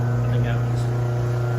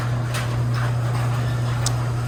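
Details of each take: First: Mother's garage door opener grinding when opening or closing after a loud bang and the door dropping partway: steady low motor drone with coarse buzzing edge, the chain loosened and jumped off its track. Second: Garage door opener after a chain adjustment fixed a grinding noise that followed a loud bang and dropped door: even low motor hum, smooth chain run, no grinding or catching as the door travels; normal operation.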